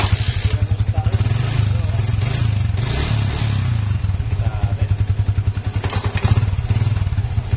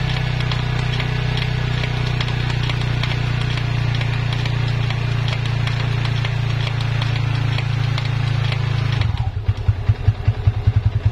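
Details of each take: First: Yamaha Vixion after repair of a rubbing "tek tek tek" noise at the rear drum hub, bushing refitted: even, steady engine thump with no rubbing, clicking or grinding from the rear wheel; noise gone, rear bearing/hub healthy. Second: Yamaha Vixion rear hub held with the brake while in gear under throttle: a steady low drone turns into an uneven pulsing rumble. It is silent when not driven, pointing to a worn rear wheel bearing.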